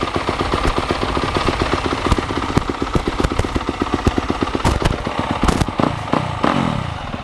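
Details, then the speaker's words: 250 dirt bike running with the choke on, exhaust tip banged up: sharp, crackling, popping single-cylinder bark at a fast idle with some revs; idle seems good but the exhaust is loud. "I think idle's good. Bike's loud."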